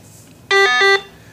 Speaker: in this demonstration we have not hooked up an LED so you hear a beep blat for the missing LED and then beep beep beep whenever you hear a blat double check your connections